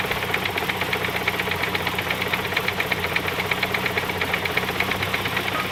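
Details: 1991 Saab 900 Aero Classic at idle: rapid, regular light knocking at about three per second over a steady idle; engine knocking, cause not diagnosed, owner seeking help.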